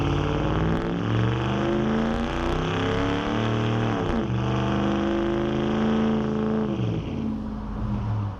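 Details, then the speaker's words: 2009 Dodge Ram 5.7 HEMI V8, freshly installed Jasper engine, new Flowmaster Outlaw dual exhaust, windows up, launch from a stop: deep burble climbing steadily through gears, clean pulls without misses or rattles; quieter than expected, normal healthy acceleration. "It's not too much. I actually thought it was going to be much louder than that."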